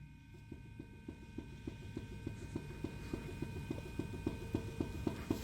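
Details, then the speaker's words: 2005 Toyota Tacoma 4WD, 175,000 miles: front wheel rocked at three and nine o'clock gives quick metallic clunks, about three or four a second, showing large steering play, outer or inner tie rod suspected. "i will grab it again three and nine and listen to that banging"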